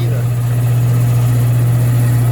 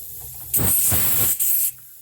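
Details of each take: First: Old Worthington belt-drive shop air compressor after servicing, with cleaned makeshift air filter: strong steady low hum, even pitch, no belt slap or knocking; running smoothly, sounds better, slowly building pressure. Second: Old Worthington shop air system: sharp steady hiss starts suddenly, dips briefly, then stops, pressurised air leaking from a crack in the plastic dryer housing just below the lip; later repaired with epoxy.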